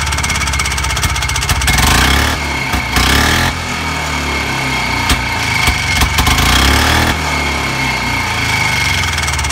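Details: Harley-Davidson golf cart, single-cylinder two-stroke on 40:1 fuel-oil mix, with a small turbo muffler loosely fitted replacing a non-stock Harley muffler: steady fast thumping at idle with a deep, low tone, quieter than before.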